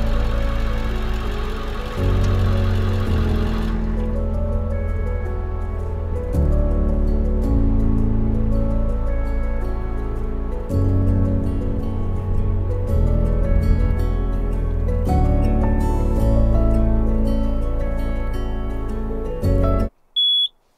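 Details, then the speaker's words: Carbon monoxide alarm in a truck camper gives a single short high-pitched chirp about every 20 seconds, signalling it has reached end of life and needs replacing. "My carbon monoxide alarm is telling me that it needs to be replaced. So I'm gonna replace it, cause for the last 20 minutes I've just been hearing beep every 20 seconds or so."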